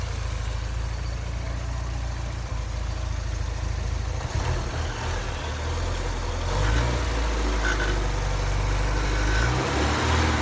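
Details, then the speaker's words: 1988 Porsche 944 with new fuel pressure regulator and DME temperature sensor: deep slightly lumpy idle; snapping throttle open makes it bog and stumble, backfiring into the intake manifold with smoke from air box; cause unknown. "quick throttle it sounded like it almost backfired into the manifold so basically still at that same step where at least the car starting but yeah I don't know what the hell that is"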